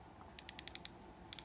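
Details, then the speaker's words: 2025 Shimano Ultegra fishing reel: two short runs of soft quick ticks, about ten per second, thin and dull rather than crisp. Weak, too-quiet clicker. "We have to figure a way to improve the clicks. Dawa figured it. And now every dawa reel you buy. From the legalis to the exist comes with a perfect crisp sharp click. Out of the box. You effed up the Vanfort. This one is not as bad, but it's a little bit quiet for my taste."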